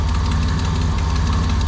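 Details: 1987 Nissan Pathfinder VG30 V6 after head gasket replacement, steady warm idle with a light fast even tick on one bank; owner unsure whether piston slap or exhaust leak, click remains after oil change.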